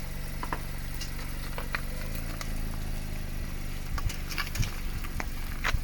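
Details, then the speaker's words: 2016 ND Mazda MX-5 Miata, slow parking-lot driving near full steering lock, sometimes halfway: engine idling with a few sharp irregular click-click sounds and a pop from the front; drives normally, cause unknown. "sometimes halfway though I get a click click and sometimes a click click pop kind of noise it hasn't affected the the way it drives or anything"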